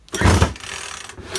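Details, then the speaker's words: Makita top-handle climbing chainsaw after ignition coil replacement: two pull-cord rasps turn it over but it never catches or pops; no spark even with a known-good plug; cranks but won't fire. "so you've got no spark not more not at all"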